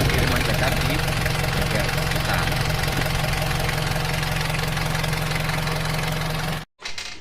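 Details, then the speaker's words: Chevrolet Trooper diesel, original engine 20 years never opened, before rebuild: fairly even idle clatter about 220 beats a minute, still smooth, but smoking from lower exhaust even cold and losing power when hot; due for overhaul. "jadi ini keluar asap diabungan bawah seperti ini ini adalah karena Ya emang sudah waktunya permandaan dan kata pemiliknya ini kalau panas ini tenaganya Ngot"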